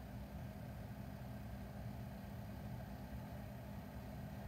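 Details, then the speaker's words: BougeRV van fridge-freezer for a 1984 Vanagon, just switched on and set to max: soft steady airy fan whir with a faint low hum, likened to an air conditioner, no rattle or ticking; fan running normally. "the fan is going you can hear the fan see it's kind of like the noise of an air conditioner yeah i would say it's the noise of an air"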